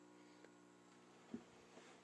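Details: Magnum Energy 4500 W off-grid inverter on a 3 kW solar system with a 450 Ah battery bank: a low, steady electrical buzz with evenly stacked tones and a couple of light clicks; normal transformer hum.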